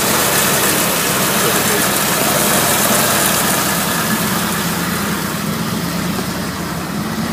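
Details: 1961 Willys CJ5 Jeep with 1957 Chevy 283 V8, manual choke, four-speed and twin-stick transfer case, idle set a little high so it warms faster in winter. Starts right up, fast but even idle, steady burble, no clicking, knocking, shaking or rattling; normal idle.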